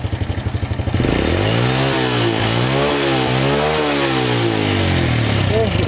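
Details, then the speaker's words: Honda Supra Fit with no spark (no ignition) after the pulser/stator coil (spul) is replaced with a cheap one: starts straight away on the starter, no tuning needed, then revs cleanly and smoothly without misfires. Repaired and running fine. "udah settingan dari sononya langsung hidup aman"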